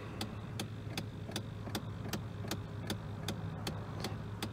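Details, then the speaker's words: 2001 Chevrolet Silverado with broken A/C: sharp, even clicking about 2.5 per second over a quiet hum from the bottom of the dashboard, first noticed when the air conditioner was turned on; owner suspects the A/C triggered it, cause unconfirmed. "so there's this terrible clicking in the dashboard"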